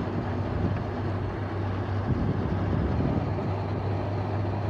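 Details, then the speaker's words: LG window air conditioner on a fan-only run test, compressor off, with leftover water inside: a steady low hum and airy rush that builds slightly as the fan slowly speeds up after start-up; normal. "yeah that's why the fan may take a while sometimes well there it goes increasing a little bit"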